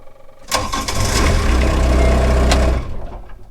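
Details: Excavator with a long-standing intermittent click-no-start fault: with ignition on, relays click, the fuel pump runs and the glow plugs light, then it cranks briefly and the diesel starts with a steady rumble; normal start this time.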